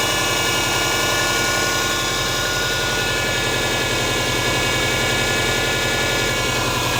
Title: Стук мотора субару EJ20G